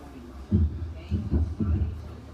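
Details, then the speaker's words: Speed Queen 40 lb washer, stopped drum pushed up by hand: the gap changes and it gives dull low clunks, indicating a worn drum bearing. The noise grows on high-speed spin as it worsens; the bearing needs replacing. "so you can see that Gap change and you can hear the the noise as the drum moves around so that's a good indication the bearings gone"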